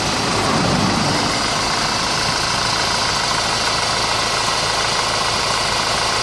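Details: 2004 Honda 2.2 diesel idling after a timing chain job: thin steady whine over a busy, hissy running sound.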